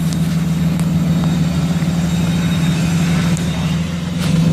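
Diesel runs with a steady, droning hum holding one pitch over the engine note, consistent with a failed turbocharger.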